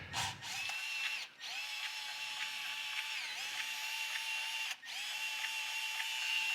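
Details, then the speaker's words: Newly unboxed Milwaukee cordless sub-compact band saw running free: steady high motor whine with a faint rubbing, scratching hiss. First thought to come from one wheel, then traced to the other wheel. "there's some some scratching it sounds like it's coming from this wheel here"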